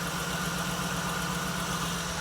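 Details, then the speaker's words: 1979 Jeep CJ-5 revived after 29 years sitting, running off its fuel tank: steady idle with a light, fast tick keeping time with the engine; smoking with some blowby, oil pressure about 30. Tick source unconfirmed; owner expects it to work itself out. "But all in all, I mean, I can hear a tick now. That should work itself out."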